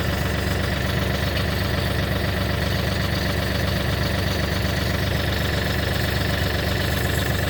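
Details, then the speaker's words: Kioti NX6010 tractor hydrostatic transmission after hydro filter housing change and clear suction line fitted, mic held close: steady engine drone with rough churning whine underneath; small bubbles visible in the fill port, air ingress problem returning. "okay and then here I'm gonna get real close so you guys hear it but here is where I can hear that the problem is definitely back"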